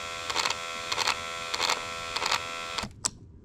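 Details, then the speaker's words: Driver's power window motor on a white Honda, door panel off, gives a harsh buzzing grind in short bursts, about four pulses then stopping; it only works down, not up; worn or failing window motor. "she was not happy with life foreign might have to take that apart see what's going on in there because it doesn't do it up only down"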